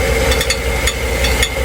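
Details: Clicking noise under the transmission: sharp, uneven metallic clicks over a steady idling engine, caused by a loose gear inside the starter, fixed with a new starter.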